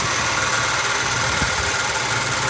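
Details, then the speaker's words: 1966 Ford Mustang convertible V8, warm idle after restoration with new power steering belt: steady thin whine and hiss from worn power steering pump bearing; pump full of fluid, pulley stiff when spun without belt. "seems pretty good except you can hear that bearing noise"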